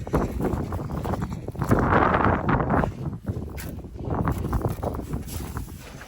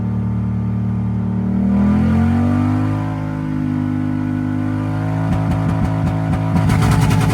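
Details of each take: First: Toyota 1UZ V8 cranking after sitting a few years: uneven, lumpy cranking about 3.5 beats per second with irregular clatter; sounds terrible, owner suspects lifter buckets collapsed from sitting on cam lobes. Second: Toyota 1UZ V8 revived after sitting a few years, after running 10:1 fuel/auto trans oil mix to clear suspected stale-fuel blocked injectors: blips and settles to an even steady note, no stumble; misfire seemingly cleared, running smoothly.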